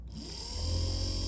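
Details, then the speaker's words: Porsche 924/944-type windshield wiper motor, rebuilt from a seized state and bench-tested: it spins up into a steady low hum with a faint high whine at high speed, running smoothly and normally. "There you go, guys. She works, as you can see, so it's totally doable even if it's in that bad a shape."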